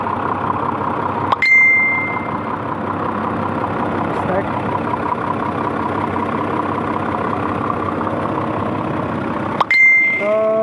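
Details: Isuzu 6WF1 diesel truck engine started after overheating repair with turbo-to-intercooler pipe refitted, not yet revved, letting oil circulate: catches and settles into steady, even idle with dash chimes; no hunting or misfire, normal idle.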